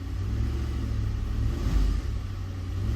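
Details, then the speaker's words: 2010 Ford Explorer 4.6L 3-valve V8, cold engine brake-torqued under load: uneven stumbling rumble from intermittent cylinder 8 misfire only when cold, plug and coil already changed, caused by a failed roller follower. "so we're only getting the issue when it's cold like that so it's pretty elusive"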